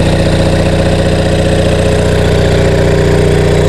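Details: Rusty Onan MDJE diesel generator on a temporary cooling system, about 10 V residual output; steady, even diesel thrum at about three beats a second with no knocks or misses; runs healthy.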